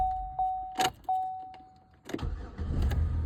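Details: 2011 Chevy Impala, 245,000 miles, intermittent clicking no-crank despite new starter, ignition switch suspected: key chime, clean short crank, then catches into a low even idle; starts normally this time.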